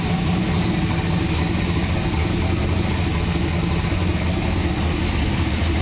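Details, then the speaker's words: Turbocharged COPO Camaro V8, freshly built with a new intake, turbo and exhaust, refired to idle: a deep, even rumble holding steady with no knocks, ticks or stumbles; healthy and clean. "All right, we gotta give this old girl one more fire up because she just sounds too good. I can't get over it."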